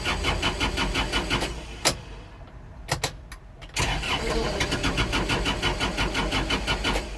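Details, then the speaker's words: Kubota L4330HSTC tractor, intermittent stalling then no-start: steady cranking drops out about two seconds and resumes; starter cuts out regardless of revs, and lightly touching the HST pedal interrupts it; owner suspects the pedal/interlock switch, unconfirmed. "it's like it switches on for split second and it's don't seem to matter whether you have it revved up or not"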